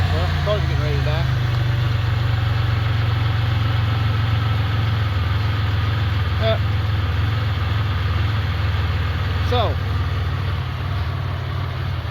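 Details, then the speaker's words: Sick Centurion engine after injector cleaning, same suspect fuel: heavy idle loping about twice a second, barely running and losing vacuum, so fuel pressure climbs toward 50 via the regulator before it dies. "so yeah here the engine it's just barely eming enough to that's why you're losing vacuum"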